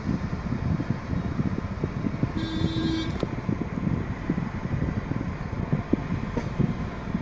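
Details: 2018 Maruti Suzuki Ertiga factory-fitted CNG, after repairing kit wiring chewed through by a rat and clearing the fault code: steady, even low idle with a brief tone over street noise; now running smoothly on CNG, no misfire.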